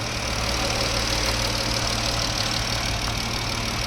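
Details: 2017 Jeep 3.6 V6 after rocker arm, oil cooler, spark plug and coil pack replacement: steady even idle, no ticking, knocking or hiss, no leaks; normal.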